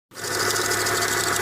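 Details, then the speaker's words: 1995 Chevrolet Monza petrol engine at cold-start idle on the first start of the morning: fast, dense mechanical chatter that then stops; owner suspects the oil pump, unconfirmed; parts already replaced. "esse carro meu aí é 95 e ele começou dar essada esse barulho logo na primeira partida de manhã se alguém souber aí eu desconfio que pode ser a bomba de óleo"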